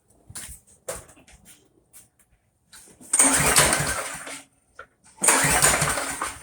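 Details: Briggs & Stratton Quantum Craftsman mower after long storage with old fuel: hard recoil pulls give brief rasping spins with no firing; cranks but won't start.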